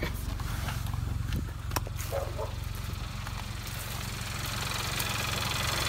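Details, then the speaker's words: 2017 Kia Soul Turbo at idle after intake install, recirculation valve venting to atmosphere like a blow-off because the piping lacks the recirc plug; steady, even, smooth idle with no misses or knocks; normal healthy idle. "everything is running perfectly instantly everything fits wonderfully"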